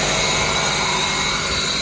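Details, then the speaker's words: 1999 Toyota Camry 2.2L with rough running and misfire codes P0300–P0302, idling after new spark plugs: steady, loud airy hiss and sucking sound, an air leak at the intake boot bypassing the filter (no MAF sensor). "vacuum leak or something around here too making like a sucking noise oh yeah he's definitely gotta air leak right there"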